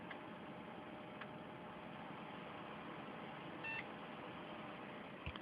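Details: Desktop PC with an Athlon dual-core 4400+ and 3 GB of memory, booting after repeated power cycling: steady fan hiss with the graphics-card fan adjusting its RPM, then one short clean beep; single POST beep, successful boot.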